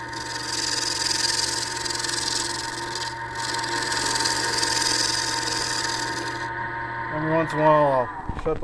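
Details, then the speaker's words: Wood lathe turning a horn cup body on a mandrel with a large thumbnail gouge: steady motor hum under an even, hissing cut, the chatter heard earlier on the out-of-round section gone toward the end. "I mean it's not round if I go down here toward the end we won't hear that patter anymore"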